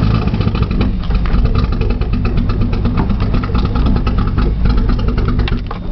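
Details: Nissan Z, cold outside, cold start valve found unplugged, solenoid checked, brake cleaner used as starting fluid: steady rhythmic starter chug, never catching; cranks but won't start.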